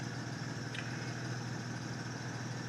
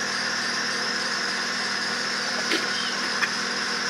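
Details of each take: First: 2008 Acura TL 3.5 V6, 143,000 miles, after misfire repair with valve work thought done under 5,000 miles earlier: smooth, even idle hum with unbroken rhythm and no stumbles; running clean, one stray misfire count already cleared. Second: 2008 Acura TL 3.5 V6, idling after swapping from cylinder 5 to 4: quiet idle with faint uneven stumble and light whine from noisy belt; cylinder 5 still misfiring, compression difference 5 PSI acceptable.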